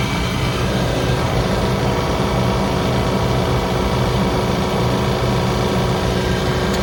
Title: Toyota Diesel under engine bay rattle noise #2